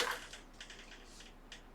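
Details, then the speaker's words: ZX Spectrum disk drive booting a disk: light, irregular ticks as the head steps across the disk, with no grinding or scraping. It is loading normally, though it kept loading longer than expected. "It is loading, but that sounds good."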